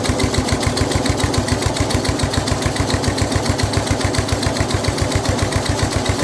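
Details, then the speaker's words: Older Snapper rear-engine rider, Briggs 12 HP I/C single-cylinder, abandoned for years, no choke or throttle linkage hooked up; steady even thumping idle, no knocks; runs well, but the blade turns, which made starting hard. "Okay, so we got it running good. It does run well, but the blade is turning, which is why it had an issue starting,"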